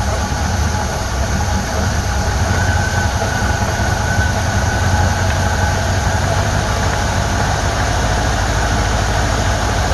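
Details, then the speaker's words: Cheap Chinese eBay Ford 2100 carburetor installed, curb idle lowered: slow, deep, even idle with steady low rumble, no stumbles or misses, likely under 500 rpm; normal idle, carburetor works. "listen to that listen to that i bet that ain't 500 rpm very"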